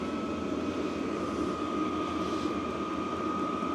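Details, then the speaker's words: VEVOR 8kW diesel heater after a full service for smoke and carbon build-up, on the fastest speed and set to 36 degrees with 13 degrees outside, drawing about 257 W: a steady, even roar with a constant fan whistle and no surging. Normal running. "So, fuel's pumping in. Everything is running."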